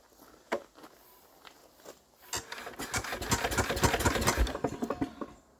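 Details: Enfield diesel, suspected hydrolocked, rack off: uneven cranking bursts that slow and stall against compression, never catching, still tight. Cranking no-start; head removal planned.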